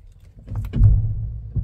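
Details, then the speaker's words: Toyota jacked up in a garage, engine off, steering wheel turned: a deep hollow clunk/bonk, worse when cold, stiff wheel. Not the steering shaft. "I'm going to try to reproduce this noise it's a heavyduty clunk"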